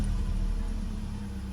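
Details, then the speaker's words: VW Golf petrol engine idling after fault codes were cleared: lumpy, uneven low rumble from a single-cylinder misfire that persists, blamed on a failing ignition coil pack. "lights have gone out but if we do leave it to run for a little while guys it should come back on cuz it's still misfire and definitely here still inspiring now"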